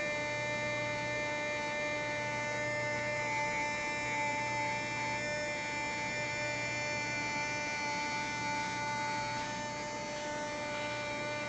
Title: Luxman Receiver RX-103 Automatic Door Humming Sound